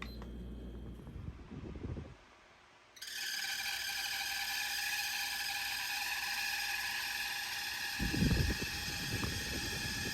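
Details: Home Essentials stand fan, model HE168RC, running with a loud, steady, piercing squeal well above its airflow hum; squeaky fan before repair, cause not confirmed.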